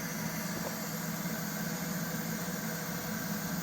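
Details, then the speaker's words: Machine running with fan blowing: steady motor drone with a constant airy hiss on top, no change in pace; owner suspects an internal air leak, not yet checked. "Fan's blown you can hear it might have an air leak inside there I got to check that out"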